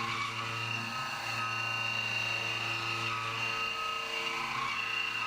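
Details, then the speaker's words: CNC main-profile roughing of an AR15 gas block at 1900 rpm, width of cut up to about an eighth of an inch: high screeching chatter, worst in the internal radii; 1700 rpm later sounded much better, only occasionally chirpy. "a little bit chattery especially in those internal uh radiuses then i bump it down to 1700 and see how that sounds"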